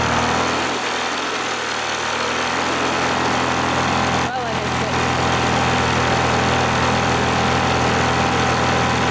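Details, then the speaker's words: 1986 Scat hovercraft two-stroke after a repair, run on a 1:100 oil mix: a loud, harsh, ragged and rattly racket. The engine broke with a melted piston; owners suspect the oil mix but say the engine may have had a prior problem. "found out Ah that's broken that's super broken"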